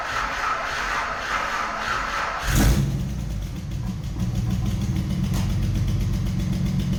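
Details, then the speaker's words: Junkyard VG30E V6 in a 1988 Nissan 300ZX on first start after install, slow to catch while priming fuel, settling into a rough, loud idle with a sharp puffing note from an exhaust leak; otherwise sounds healthy. "But other than that, I mean, it sounds healthy. It has an exhaust leak, obviously, but that's gonna get taken care of here afterwards."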